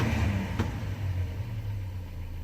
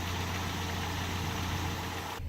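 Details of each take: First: Mercedes 190E 2.0 natural gas conversion, just switched from petrol to gas. Low rumble, weak throttle blip without real pickup, then the engine dies, not powerful and won't idle; stalling from a misadjusted gas pressure reducer idle screw. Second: Mercedes 190E 2.0 with natural gas conversion, warming up while running on petrol. Smooth, even idle around 700 rpm with a steady low hum, no misses or hunting; said to improve the more it is driven; normal idle.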